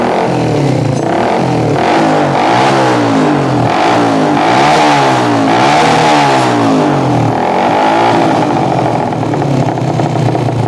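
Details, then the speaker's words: Yamaha Jupiter MX motorcycle that had died and was hard to start, open exhaust: engine surges and sags unevenly, won't rev when throttled; suspected carburetor running too lean or too rich, otherwise ignition fault. "Intinya motor ini mbet brebet brebet begitu. Oke, berarti rumusnya adalah brebet. Merebet adalah kekurangan BBM atau kelebihan BBM."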